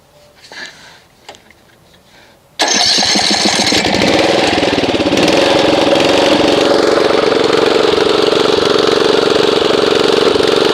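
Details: Snapper RER Comet riding mower that sat about a year, before treatment with Mechanic in a Bottle; cranks and catches, then an uneven, loping, lumpy beat instead of a smooth drone; rough running.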